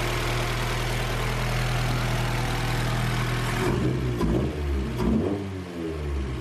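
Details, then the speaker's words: 1991 Honda CRX Si with JDM B16A swap, no-start fixed after finding it out of fuel despite quarter-tank gauge reading; engine drones steadily then stumbles and goes uneven when revved; still bogs and misfires, cause unconfirmed. "so yeah the car was basically just out of gas and i feel dumb but like the gas gauge showed like a quarter tank or more so i was like there's no way it's out of gas i thought it was just messed up because it's already been not running right and it still does bog"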